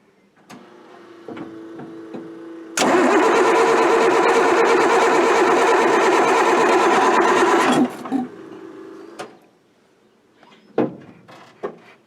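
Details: Military Deuce 'n a Half diesel truck after injection pump work, fuel delivery problems, cold weather: starter churns about five seconds at roughly three beats a second without catching, diesel smoke appears; cranks but won't start, air leak later suspected.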